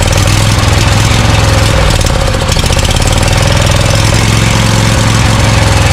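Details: Scag Cheetah mower with a Briggs & Stratton Intek V-twin: a loud, lopsided chuffing idle with one cylinder misfiring. The left carburetor side was probably sucking dirt past the air filter, and spraying cleaner there helped; a replacement carburetor is planned.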